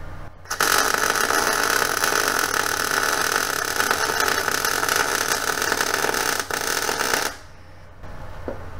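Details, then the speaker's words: New budget Chinese MIG welder test on steel: steady, crisp bacon-sizzle frying crackle for about seven seconds without stuttering or popping; wire feed and arc sound well matched for a clean bead. "seems to be melting well hear that nice bacon sizzling sound"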